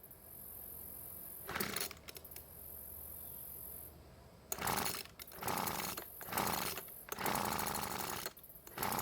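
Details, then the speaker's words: Weed Eater leaf blower that still won't start after carb service, new fuel lines and fuel filter: repeated pull-cord bursts with brief sputtering firing that never catches. Hard starting attributed to weak compression from a stuck piston ring. "so as you can see and hear it's not wanting to start but at least it's trying to which is better than nothing I guess"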